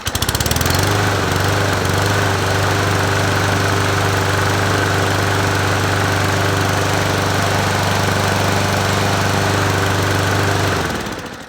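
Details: Free Toro 21-inch self-propelled mower, unused two years, after fix-up and a run to burn off old deposits: small single-cylinder engine runs at a steady even pace with no misses or knocks, then shuts down cleanly; healthy, no valve adjustment needed.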